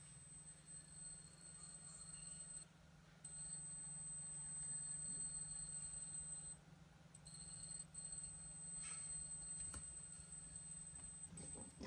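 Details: Brand-new PS4 Pro squeals with a thin, steady high whistle that briefly drops out twice; froze after about 30 minutes, then on reboot after the drive check the screen goes off, blue light flashes, and it won't boot, cause unclear.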